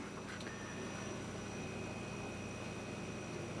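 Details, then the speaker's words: KitchenAid side-by-side refrigerator freezer after replacing the noisy condenser fan motor and fan blade: quiet, steady hum with faint even tones and no knocking, a normal-running fridge. "that no knocking nice and quiet just a normal refrigerator salt"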